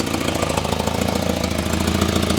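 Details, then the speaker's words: Volvo 245 parts car, 91,000 miles, idling just after start: fast, even ticking puffs over a steady idle, exhaust leak suspected; owner says "that's an exhaust leak." "That's an exhaust leak."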